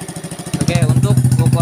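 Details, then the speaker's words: Motorcycle with big aftermarket exhaust after valve clearance adjustment (one clearance set to 0.15 for power, leaving a very faint tick audible only with the exhaust covered): even putt-putt idle with no top-end ticking, much smoother than before; normal idle. "Ini motor tu Mantap ya suaranya jauh banget dari yang tadi"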